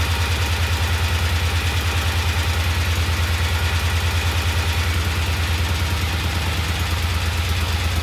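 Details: Vintage Norton twin, second start, after adding oil to the primary to cure a clacking noise: even, steady low thump about three beats a second with no chain clatter; idling healthily.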